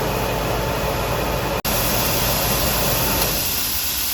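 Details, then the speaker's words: Pressure canner canning leftover Thanksgiving turkey, venting steam for 10 minutes before the weight goes on: a steady, strong hiss with no sputter. Normal venting as pressure starts building. "see now you can really hear it blowing out of there I still have seven minutes left on my timer"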